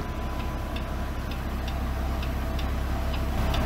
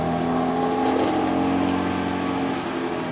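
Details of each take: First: BMW M3 Competition, engine running, rear wheel turning: light metallic ticks about twice a second over a low engine hum, from overlong wheel bolts catching the handbrake springs. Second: BMW M3 Competition, recorded under the car in third gear after fixing park brake cable clip touching the driveshaft: rear wheel spins smoothly with steady hum, no ticking, faint handbrake drag needing adjustment; not the bearings.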